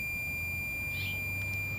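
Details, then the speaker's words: Battery eliminator converting 12 V to 90, 150 or 250 V, used to power a 1945 R-100/URR military shortwave receiver: a steady high whine at about two kilohertz from its oscillator, running normally. "this is my battery eliminator it converts 12 volts into either 90 150 or 250 and you can hear the oscillator in it running"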